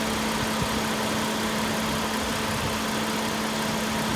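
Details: 2008 Kia Rondo V6 after replacing the AC compressor, which had a broken pulley, on a hot day. Engine idles smoothly with a steady hum and the new compressor running quietly, no squeal or rattle; normal AC compressor operation.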